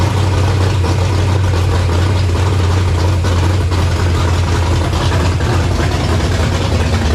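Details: Fox-body convertible project with a supercharger and rebuilt carburetor: low, steady idle with some unevenness, running on choke; owner concludes the carburetor is at fault, starting on choke but something likely plugged in the mid-range circuit. Cause suspected, not confirmed.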